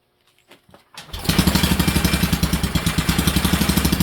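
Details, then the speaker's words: Whizzer engine with newly made intake and exhaust, started on gasoline with some kerosene left in the fuel: catches after a few pulls, then settles into a loud, steady popping beat about three a second, never missing; best idle yet. "Just because it sounded pretty good. It was loud, but it never missed once. It was firing consistently. It has never idled better."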